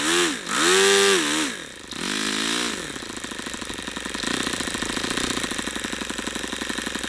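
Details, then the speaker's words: YS FZ63 model engine, swap-meet find, first run on 11x8 APC prop, OS F plug, 22% nitro 18% oil fuel: screams high, sags, drops, recovers unevenly; losing power, cause unclear, maybe overheating or not broken in. "I don't understand if that's a overheating thing I didn't hear it Knocking or what that is maybe it's not broken in"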